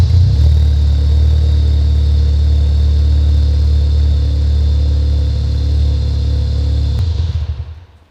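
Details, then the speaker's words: Mk3 VW Golf GTI rally project at tick over, with a phone beside the exhaust reading 99 dB; a very loud, deep, unmuffled booming drone, caused by a hollow universal Powerflow silencer box. "So already on tick over, it's 99, so there's no point revving it up."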